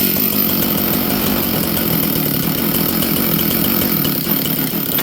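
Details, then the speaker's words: Chainsaw after the idle screw was turned down; it holds a fast, raspy buzz, then sags and stumbles instead of settling into a steady idle, and the clutch spring is very loose and needs replacing. "Interesting, friends. It doesn't want to idle. So, this thing's going to need some work like they all do."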